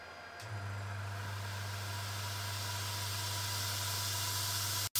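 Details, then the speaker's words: Air compressor feeding a laser cutter's air-assist through flexible tubing, switched on to show its noise. A low, quiet motor hum sits under a loud, even hiss of high-velocity air from the nozzle; normal running. "but now I want to just quickly showcase the noise level of the air compressor and like the air that is coming out so I'm going to turn on the compressor right now"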